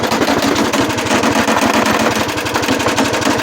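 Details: GX75 riding mower running with rapid, sharp gunfire-like popping, roughly a dozen cracks a second; the engine is backfiring, a problem that first appeared today, cause undetermined.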